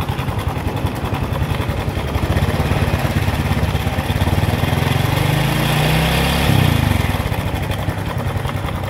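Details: Honda Revo FI fuel-injected motorcycle at idle: a coarse, uneven clatter over a fast-ticking idle that eases as revs rise and gets louder as revs drop; worn cam chain rattle.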